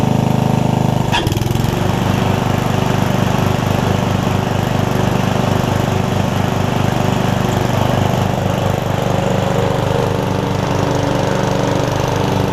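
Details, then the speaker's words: Murray riding mower after fitting the four missing engine mounting bolts and adding an exhaust, with a replacement battery, filmed on a tripod: the engine catches after a brief crank and settles into a steady, even beat with no misses or knocks. "i'll crank it up i'll show you that it runs cuts drives real quick right here on the tripod and we'll wrap this video up"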